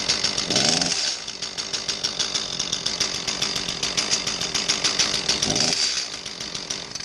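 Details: Echo CS-310 chainsaw, small two-stroke, idling with two throttle blips: exhaust note dull, muffled and choked as if masked, from a plugged spark arrestor screen in the muffler; sounds clear once cleaned.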